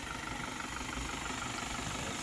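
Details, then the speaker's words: Isuzu D-Max 4HJ1 diesel after low-budget rebuild following overheating no-start, injectors bled: even clatter about six beats a second, no misses or knocks; starts on one click, normal idle. "So ngayon, okay na siya. One click na."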